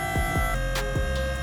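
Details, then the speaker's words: Astra electric power steering pump fitted to a Datsun 1200, first power-up, fluid full with no air coming out: steady loud electric whine with a low throb, settled at this noise level before steering; noisier than expected, cause unknown. "It's pretty noisy, isn't it? This little fucking thing. No air coming out. It's settled into this sort of level of noise."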